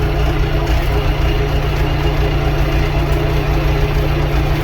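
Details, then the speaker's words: Allis Chalmers 6080 tractor after overhaul, heard at idle from inside the cab with cardboard added to cut cab noise: steady, even diesel idle with a deep low thrum and the muffler clearly audible; the engine runs normally. "Oh yeah. Hey, I actually hear the muffler now."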